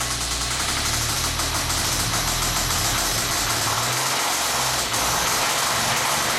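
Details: 1998 Ford SVT Contour at idle: rough, hard knock about three times a second over a busy, gritty idle; bad rod bearings, rod knock.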